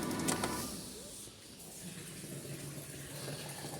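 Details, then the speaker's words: Car with coolant drained to check for oil in the cooling system, then refilled. Irregular bubbling and gurgling over a quiet engine hum at about 42–47 degrees as air trapped in the cooling system burps out. "There's a little bit of air in there. It's going to burp it out. You can see that now."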